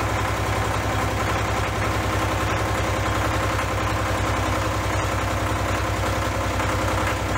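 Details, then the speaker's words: Case 485 loader tractor diesel at its first start after a head-off repair for coolant filling the cylinders: rough idle with a hard knock about three times a second and heavy white smoke. Injectors are suspected of sticking open and flooding. "No, really, I think those injectors might be sticking open. I think they are. It's flooding."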